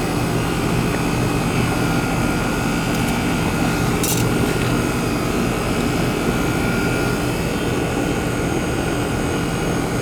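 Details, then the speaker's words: American Standard/Trane AC condenser whose fan wasn't spinning, burnt fan wires found, rewired (hard-start kit wire noted): constant even drone, low hum and fan whoosh, no rattles or scraping; compressor and fan running normally after repair. "foreign ER compressor's running the Fan's running he's a runner Runner"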